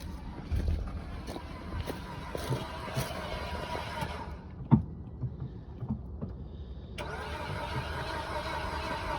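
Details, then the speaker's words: Gas Ford F350 utility truck: sluggish, uneven cranking for about four seconds, then a thump and no start. The starter drags; the battery is suspected to be dying, not confirmed. "on okay well we gave it a shot you heard it uh it was uh kind of winding over but sounds like that battery starting to yeah to die"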